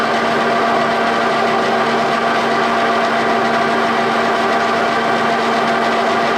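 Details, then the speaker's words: G&L 340T boring mill spindle after fixing runout, with under half a thousandth of movement when pried with a breaker bar, when the spindle bearings had been feared shot: steady, even hum with no knocking or grinding; spindle running smoothly. "Let's just fire it up and see how true it's running now."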